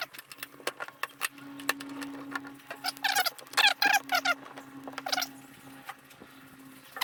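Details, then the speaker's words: 1961 VW Beetle wiper motor after 12 V armature conversion, running noticeably slower and parking correctly, arm may touch ignition: faint steady motor hum under squeaky wiper sweeps and light clicks; normal wiper motor running. "all right so in the end it's a lot slower with the uh it's a lot slower with the 12 volt uh so I'll show what it is but I'm not sure I like it better"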